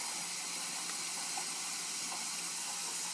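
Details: Ford 6.0 Powerstroke diesel, no start when hot, valve covers off, engine off with air injected into the high-pressure oil rail: steady high-pitched hiss at an injector base, air leaking past an injector seal, found with a stethoscope.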